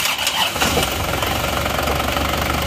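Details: Isuzu Panther Touring diesel that ran out of coolant on a toll road, low compression on three cylinders, engine and transmission reinstalled after overhaul; catches quickly, settles into an even steady clatter, no knocks or misses: normal start and idle.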